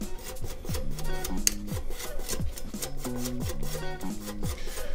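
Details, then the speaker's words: Bicycle disc brakes squealing, lever squeezed with abrasive paste applied: rough rasping scrape each wheel pass as micro-abrasions cut glazed pads and rotor; squeal already disappearing, road bed-in to follow. "and yeah the nose you're hearing that's the micro abrasions cutting into both the rotors and the pads to get rid of that squealing noise here"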